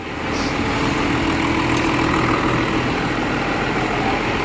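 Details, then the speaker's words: 12-valve diesel hotshot truck idling on its own after a smoky morning start in the shop. Steady, even beat with no hunting or stumbling, called a perfect idle. "No, the idle's fucking perfect, dude. Look at that. That's perfect. No, that's like a perfect idle."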